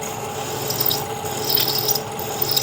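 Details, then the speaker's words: 1940s 14.5-inch South Bend lathe drilling 5/16-inch holes in steel tool holders with Anchorlube: dry scraping rasp with bursts of high squeal as the bit chatters. Dull bit or work-hardened material suspected. "So I'm pretty sure this 5/16 drill is toast. I'm sure you heard that squeal. That is either a dull bit or a work hardened piece of material."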